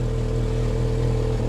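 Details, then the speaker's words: Car at auction with 110,648 miles, airbag malfunction warning: low steady idle with a fast puffing tick on every pulse from an exhaust leak, plus an occasional uneven beat from an intermittent misfire. "I can hear an intermittent misfire as well"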